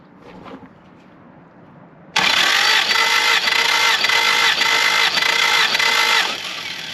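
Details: Willys L-134 engine in a Jeep FC-150 frame, first start since engine work: steady cranking at about four beats a second with loud starter whir, never fires. One spark plug stuck in the head; checking spark. The engine later fails completely.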